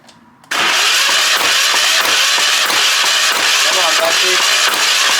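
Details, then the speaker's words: Military-surplus Hatz 1B20 diesel pressure washer, long stored, glow plug unchecked and undersized wires getting hot: steady rhythmic cranking with a hard puffing beat that never fires; crank no start, owner suspects water and crummy old fuel. "on well nuts back to the drying board well Pro should have done this before I did all of that starting it's definitely some questionable things coming out of there probably water"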